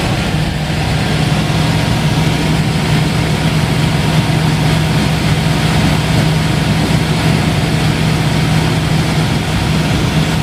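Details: 1989 Ford Thunderbird idling after fuel pump replacement (old pump squealed): steady, even low idle hum with no squeal or stumble over ten seconds; engine settles and runs smoothly, sounds healthy.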